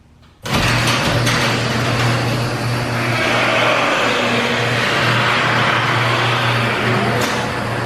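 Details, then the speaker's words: Garage door closing under its opener, not lubricated in about a year and a half: steady motor hum with rough, scraping metal-on-metal rattle from dry rollers, hinges and mechanisms, before lubrication with silicone spray. "So as you can tell, it makes some kind of crazy noise where metal's rubbing on metal and all the mechanisms are kind of rubbing together."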